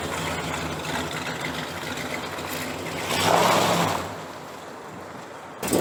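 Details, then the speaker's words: 1968 Chrysler 300 with a 440 V8 and a replacement used carburetor, after a spark plug wire was put back on. A steady burble swells once with a throttle blip, then settles back without stumbling. It runs better now on all 8 cylinders: normal idle. "It's definitely running better now that it has all 8 cylinders, all 8 spark plug wires connected. It's a big help."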